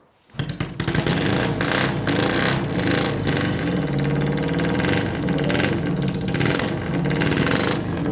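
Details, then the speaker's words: Japanese-style chopper twin, very loud, revving unevenly with sharp pops and bangs through the exhaust; misfiring, owner suspects dirty old fuel, cause not confirmed. "oh popping and banging I think we'll give that one a rest for now okay so uh yeah it starts it's probably got some dirty old fuel in it but this is ridiculously loud"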